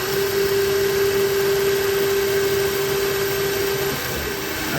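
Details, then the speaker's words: CNC mill with a Big Daishowa spindle speed increaser, warmed up, with oil applied, on hardened 1095 steel. A steady high spindle whine with only light irregular rubbing and barely any cut. The owner suspects the loose collet is letting the end mill push up. "think it's just pushing the tool up in there I must not have the call it tight enough that's got to be it otherwise this would be taking a 50,000 cut and it's not"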